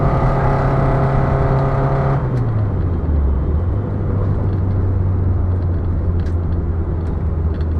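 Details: Ford Fiesta Mk5 Zetec S, 106 whp, on track at Bedford Autodrome: the engine note drops suddenly after two seconds and revs sag, leaving road and tyre rumble; it cuts out when warm and is expected to restart after cooling.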